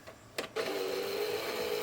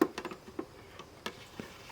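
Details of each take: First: Sony PS3 Slim CECH-2001A after fixing its noisy disc drive: brief clatter as disc loads, then steady fairly quiet mid-pitched whir with no grinding; much better than before, not perfect. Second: Sony PS3 Slim CECH-2001A console disc drive awful noisy: loud two-second whirring buzz with a steady low hum as the drive spins up; a noisy optical disc drive.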